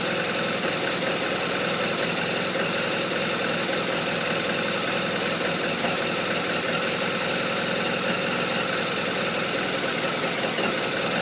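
Boxer twin idling with an uneven, stumbling beat and a lot of hissy, clattery top end; the idle is rough, cause unclear.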